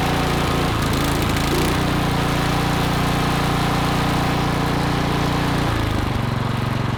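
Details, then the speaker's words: Troy-Bilt Vortex 2890 snowblower after carburettor low-idle jet, plugged solid, was drilled clear (about 0.040 in); cold start on full choke, brief catch then steady even rhythm with no hunting or surging; normal running, surge fixed. "We have fixed the issue. What do they say? You don't know what you don't know? That low idle screw was plugged solid."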